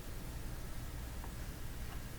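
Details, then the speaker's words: Philco Model 25 tube radio powered up slowly, near 90 volts: low steady drone with light hiss and no level change, volume control not responding; possibly received hum, cause unconfirmed. "oh I hear it it's a Hummer now that that could be a received hum very"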